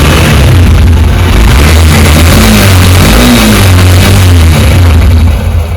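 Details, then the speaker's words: Honda SP125 BS6 single-cylinder engine after a replacement bearing part was fitted: revs rise and settle smoothly with no top-end ticking; normal running after repair. "तो ये देखते सुन सकते sound कितना मीठा हो गया"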